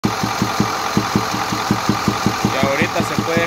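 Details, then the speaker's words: 2010 Ford F-250 with 6.4 Power Stroke diesel at idle: sharp, fairly even knocks heard at the air filter on the passenger side. Not a rod knock; compression escaping through the intake side is the stated cause. "el problema que este está teniendo es que tiene un golpeteo en el motor el golpeteo se escucha en el filtro de aire"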